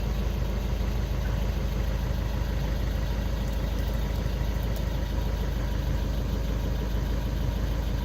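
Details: VW Golf 6 at normal idle after a crankshaft sensor replacement for P0335 no-start or hard-start and clearing the fault. Steady, even low idle hum with no misses, knocks or hunting.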